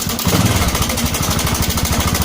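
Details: Honda Supra 125 with rough engine noise, at idle: fast, even rattle over the idle beat in step with the engine, suspected slack cam chain or tensioner, to be checked by disassembly. Cam chain tensioner rattle.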